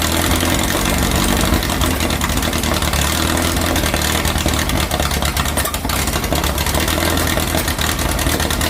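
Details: 2332cc "Dust Buggy" bug, cold start after carb cleaning, with new oil and filter. Earlier rough running was fixed by setting the mixture screws. Even, settled idle with a steady low beat, no stumbling or hunting: normal idle.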